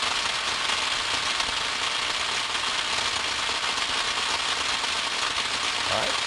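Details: Ultrasound recording of electrical equipment analyzed with 60 Hz spectrum setting: steady crackling hiss like frying fat, no mechanical rhythm, with 60 Hz peaks far out in the spectrum; tracking discharge across switch insulation.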